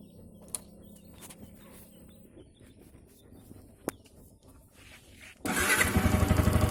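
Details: Yamaha R15 v2.0 engine, quiet then fires and runs with a fast, steady pulse about four a second; owner reports an engine sound problem, cause unclear.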